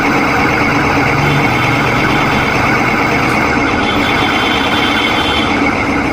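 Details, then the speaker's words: Electric scooter BLDC hub motor, throttle applied on the stand: steady rough grinding whir from worn bearings; if not replaced, the coil or sensor may fail. "আপনাদেরকে বলে দিই এটা হচ্ছে এই মোটরটার bearing গুলো খারাপ হয়ে গেছে এটা হচ্ছে বিয়ারিং এর সাউন্ড"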